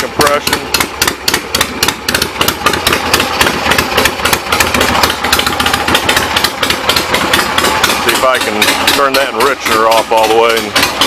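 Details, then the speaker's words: 1975 Harley XLH Ironhead Sportster V-twin after fixes, not quite warmed up, enricher and a little gas: loud regular popping beat about 220 a minute with crisp top end; runs good, carb needs slight adjustment. "a little gas still not quite warmed up need to jump the carve a little bit"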